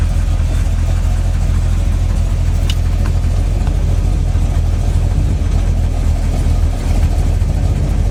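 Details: Freshly built SBC 350 (aluminum 64cc heads, .500/.510 lift, 10:1 pistons, Edelbrock intake, 600cfm carb, likely out of tune), in gear: heavy lumpy idle with a dull buried knock; persists with plug wires pulled, owner suspects piston slap or flexplate.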